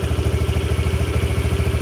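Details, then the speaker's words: Yamaha Jupiter Burhan engine after repair of a ticking noise, now idling fairly smoothly with a steady even low thump and no knocking, like a normal Jupiter; big piston fitted; exhaust has something loose inside making the muffler sound. "sudah lumayan halus. Mungkin di audio HP akan terlalu terdengar pada satu titik, tapi secara umum ini wis seperti Jupiter pada umumnya."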